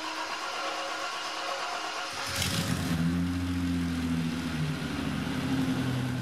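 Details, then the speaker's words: BMW E30 Touring after throttle body leak fix, first half of exhaust fitted: engine catches after short crank into a smooth, even idle; leak gone, no coolant loss, no misfire or smoke; normal idle. "it's definitely idling better than it was the first time round the leak is gone it's not losing any coolant it doesn't seem to be misfiring and it's not smoking out the back"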